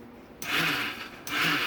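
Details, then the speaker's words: 2015 KTM 450 SX-F with a failing starter clutch, starting attempts: two short bursts of high whirring starter spin-up, each under a second, without turning the engine over; the clutch slips, sometimes catching, sometimes not. "you can hear the starter motor but you don't hear turning the motor over you just hear the starter motor listen oh it started to turn there well now it's going to start it sometimes they'll catch sometimes they won't"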